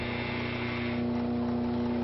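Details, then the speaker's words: Motor running without power factor correction: steady electric hum with strong low vibration buzz, tone shifting as the power controller potentiometer is adjusted to make it quieter. "you can hear the vibration on that motor when there's no no power factor correction or anything like that"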